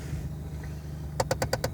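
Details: 2003 Saturn Ion with 81k miles, cabin: quiet hum, then sharp regular clicking about nine per second, seemingly from the heater fan area, varying in speed; pressing recirculation sometimes stops it, cause unknown.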